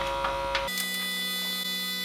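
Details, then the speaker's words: 1988 Ford Sapphire RS Cosworth ABS pump wired to the car with the ignition on, brake lines not yet fitted and the ends nipped off. A steady high motor buzz runs past 45 seconds without cutting off, when it should stop. The cause is unconfirmed. "I don't how long it's going to run for out way man that's about 30 seconds there still going there right that was about 45 seconds"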